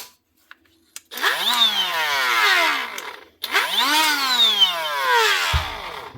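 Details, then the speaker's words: Hikoki tool after part replacement, bench test: two clean run-ups to a high steady whine, each spinning down smoothly, no grinding or rattle; running properly. "Not so bad. It's always a good sound to hear."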